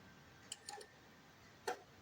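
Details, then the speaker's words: Seiko Japanese 30-day wall clock, hands turned slowly by hand: quiet room with light metallic clicks, then one sharper clack as the strike train drops ready for the gong, a normal strike warning. "Nah, tuh ada barang jatuh ya. Jadi dia kalau misalnya ada barang jatuh gitu, itu dia sebenarnya buat persiapan untuk gongnya, guys ya."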